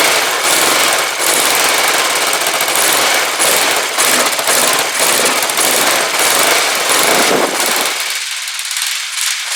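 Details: Rebuilt Kawasaki GPZ500S twin in a frame, about 130 psi compression, first start after spark restored and float bowl filled: sharp, rapid, slightly uneven exhaust popping, keeps firing then cuts out near the end.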